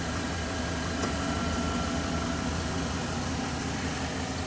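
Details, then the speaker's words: 2012 GMC Sierra V8 after coil pack replacement for multiple misfire codes: steady, even low rumble around 800 rpm with no stumbles, much smoother than the rough idle before; normal idle. "800 RPMs don't sound like the needles don't sound like it's jumping because you could actually hear it oh I know I know yeah it sounds a lot smoother than it was"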